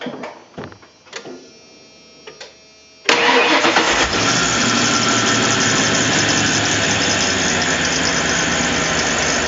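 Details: 1997 Ford F250 HD 2WD, 351W 5.8L multiport EFI, 5-speed, modified with adjustable MAP-sensor vacuum leak and shimmed throttle pedal; starter cranks briefly, catches into loud, steady, even open-exhaust idle, running healthy.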